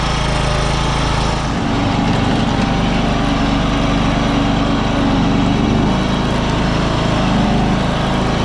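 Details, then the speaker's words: 1993 John Deere LX172 lawn tractor, 14hp Kawasaki FC420V, first run on a jump pack after trade-in: engine at full throttle with a slight rise and fall in speed; surging at full throttle, noisy idler also heard. "It was surging a bit at full throttle at full speed, but I can hear a really noisy idler under there."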